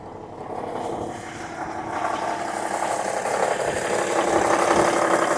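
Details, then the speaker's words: Parts-donor semi truck, likely a big-cam Cummins diesel, started after priming the fuel system, about 40 psi oil pressure: even, regular diesel clatter about four beats a second, no knocks or misses; healthy idle, though someone suspects a bad oil cooler. "Like about 40 pounds of oil pressure at idle. It really doesn't sound too bad at all."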